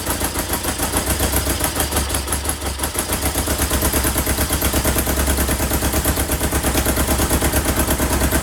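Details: 1977 Kawasaki KZ650 B1 four-cylinder running without its airbox. Uneven, lumpy idle pulsing about three times a second that stalls when given throttle; one cylinder isn't firing.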